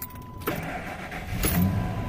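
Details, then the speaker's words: Truck that had been starting slowly because of corroded battery terminals, after new crimped and soldered terminals: keys rattle, then a brisk crank catches almost at once and settles into a steady idle. Normal, quick start. "that was a much quicker easier start than it has"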